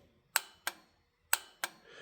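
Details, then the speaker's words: 1961 Harley-Davidson Panhead 6-volt system: horn relay (not in schematic, likely for Jubilee horn) gives four crisp clicks in two on-off pairs about a third of a second apart; relay switching properly. "But the relay, I did figure out that the relay goes to the horn."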